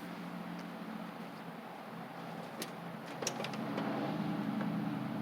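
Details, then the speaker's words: Troy-Bilt Bronco riding mower with Kohler Courage single-cylinder engine, after deck spindle, drive belt and carburettor jet work, driving back and forth: runs steady and picks up evenly under load, only a faint hint of surge; healthy. "so uh the wiring is not the best but it does work it charges it runs and uh that's what it needs to do"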